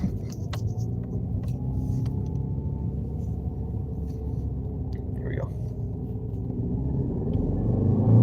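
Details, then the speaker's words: Dodge Dart manual, driving under load in first and second gear: low lumpy uneven rumble that stumbles and bucks; known misfire returns, proper parts not yet fitted. "all right first gear Miss Fire's back second gear D Miss firing"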